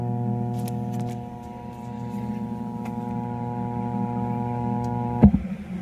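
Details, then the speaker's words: Altec Lansing 2.1 speaker system amplifier, retested during troubleshooting before measuring the IC supply voltage: a steady low mains-type hum with a buzzy edge, ending in a thump. Amplifier still humming. "Yun. Magkakaroon pa rin ng hamming."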